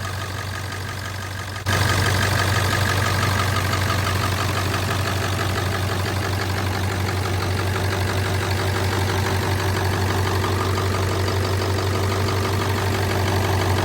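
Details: Ford 7.3 Powerstroke diesel with weak batteries, cold weather, started after block heater and glow plug cycling: catches cleanly, then settles into a steady, even diesel clatter at about three beats a second; healthy cold-start idle.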